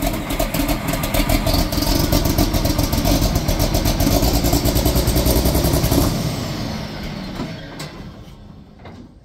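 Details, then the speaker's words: John Deere 4440 tractor diesel, sat about 12 years, fitted with new batteries and running on questionable old fuel, started right up. It settles into a steady, even, healthy clatter. "wow it started right up for sitting for 12 years that's great great news"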